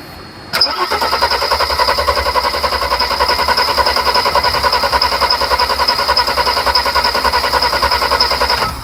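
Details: 1991 Mercedes 300SL with ongoing no-start/hard-start: steady starter cranking about 3.5 beats a second for eight seconds with fuel pressure present, engine never catches.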